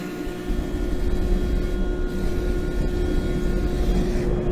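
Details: Gas forge with air and gas controls and UV fire-eye flame sensor, relit after flame blew out; steady even roar with constant low hum, no sputtering or popping. Burner lit and running normally.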